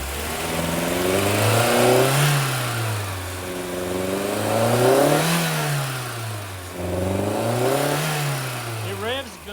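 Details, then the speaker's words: 1989 VW Fox, fuel injected, after sitting about eight years, idling during coolant bleeding: three slow labored rev-ups that bog heavily before reaching high rpm; owner suspects fuel delivery issue. "once it's up high, but trying to get there bogs like crazy. I think it's got a fuel delivery issue."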